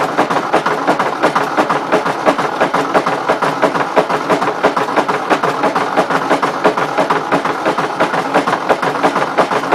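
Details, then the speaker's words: 1953 Ford Jubilee tractor engine: sharp, even knock about three times a second; suspected bad connecting rod, not confirmed. "I don't know about you guys but it kind of sounds like a motor with a bad connecting rod"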